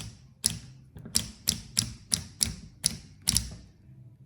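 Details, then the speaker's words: EPS-5 seeder clutch with a broken spring jammed inside: sharp metallic clacks, about two per second and uneven, as the collar pushes the solenoid; louder and faster with higher shaft speed, slower and softer at lower speed. "en el caso que se haya cortado el resorte y haya quedado trabado adentro lo que suele suceder es escuchar un ruido un plato"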